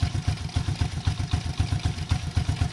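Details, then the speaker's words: Single-cylinder carburetted engine being carb-tuned by turning the air-fuel mixture screw in half turns while listening for the smoothest running. The thumping idle RPM rises as the screw is turned. "Pagigay nyo, tumataas yung RPM niya. Hop, sa pangikot. Yun, tumataas."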